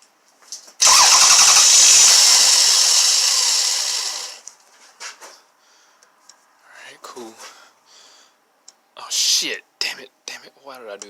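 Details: Toyota/Lexus with code P1300 restarted in its faulty state while capturing a waveform: harsh, hissy burst for about three seconds then it dies; adding fuel gave ignition confirmation, so fuel system suspected.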